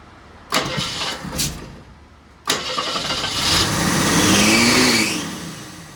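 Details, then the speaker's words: Jeep CJ7 started after the carburetor top was refitted. After two cranks it catches and races to high revs, hanging there before slowly dropping, because the accelerator pump was hanging up in the throttle assembly, which was later lubricated. "All right. I think it's safe to say I screwed up the throttle assembly somehow."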